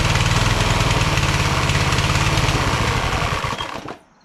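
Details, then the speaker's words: Craftsman LT1000 hydro lawn tractor, second rebuilt engine, after new EverStart U1-R 230CCA battery fixed no-start: single cylinder thumps fast and even at steady speed for several seconds, then winds down cleanly at shutoff; normal running. "How about that, huh? Started after that. So it was just a battery. You need a good charge, you know what I mean?"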